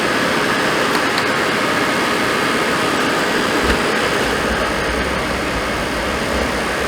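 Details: Suburban RV furnace running after the control board was reconnected: steady, even blower whoosh over a smoothly roaring burner, no scraping or rattle; lit right up, normal operation.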